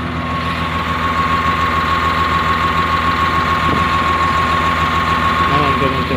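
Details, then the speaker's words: CAT 950H wheel loader diesel, error code 36 for number one injector: heavy idle with an uneven, lumpy beat about three times a second. One injector not functioning, so misfire and low power. "so that's the main reason if the operator is not concerned about the engine power or power of the machine they ignore about that so there will come less power of the machine because one injector is not functioning"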